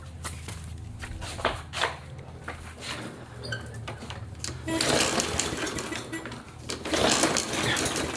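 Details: Traded Briggs & Stratton push mower, hard starting. It fails on a pull, then catches and roars in short bursts only after priming fuel into the carburetor. The carburetor was faulty, with loose hardware and missing screws.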